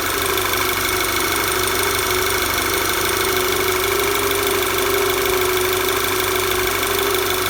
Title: Knocking noise VW Tiguan